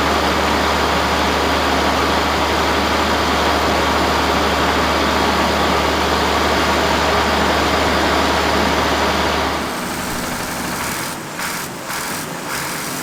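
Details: 1965 Allis Chalmers TL645 loader, turbo 6-cylinder AC 3500 diesel, running after 10+ years idle with a cleaned Stanadyne pump: steady, even clatter of about three beats a second with a deep drone, then settles lower, running on its own.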